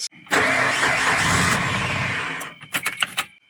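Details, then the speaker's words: Tracker that won't idle: it catches and runs rough for about two seconds, then dies with a few clicks, despite cleaning of the MAF, throttle body, IACV, PCV and EGR; an IACV code suggests a faulty idle air control valve. "at the very beginning when I did pull the initial codes there was an iacv code so I think that might be the culprit"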